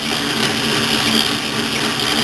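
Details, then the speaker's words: South Bend 9A lathe gearbox with the left tumbler moved to hole B: steady, even gear whir with no periodic thump; the change gears run quietly and healthily. "now I'll go ahead and put the left-hand tumbler here and hold B and that sound will be going you get this out there is no pumping anymore"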